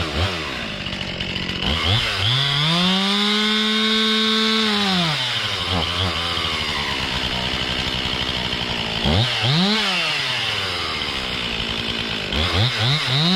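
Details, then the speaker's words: Warmed-up Stihl MS 261 C chainsaw under bucking load climbs and holds, then sags and dies off, picks up and sags again. It bogs and stalls under load, the same fault as before; the tank vent is suspected but was not replaced. "yeah it's not good um looks like it's doing the same thing I didn't replace the uh the vent if that's what it was"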